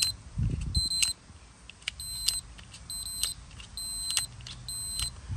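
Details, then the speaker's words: Toro TimeCutter mower seat safety switch on continuity tester: chirps in short broken bursts instead of a steady tone; rusty contacts connect only intermittently, causing shutoff when handles move or blades engage; cleaning with parts cleaner planned. "I can clean these up a little bit it's not working it's working sometimes"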